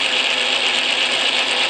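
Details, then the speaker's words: Atlas Craftsman lathe after shimming to fix tumbler gear lash, run with the feed engaged under load: even, steady gear whir with a light ratcheting texture and no rise in clatter; normal gear train. "ah that sounds better doesn't it I think it's sounding pretty good now"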